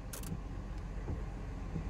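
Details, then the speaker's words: 1999 Ford F-150 wiper motor working again after replacing a blown fuse that had knocked out communication with the GEM body module: low, steady motor drone with rhythmic sweeps, normal operation. "and we are back in business all right guys so as you can see the wiper blades are working"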